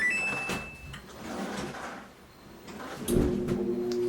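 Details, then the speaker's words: Samsung dryer that squeaked loudly for days, then stopped: after some handling noise, a steady low electrical buzz with no spin-up, the motor stalled. The drum still turns freely by hand; cause still being investigated. "nothing happened when I first started up the motor seems to buzz"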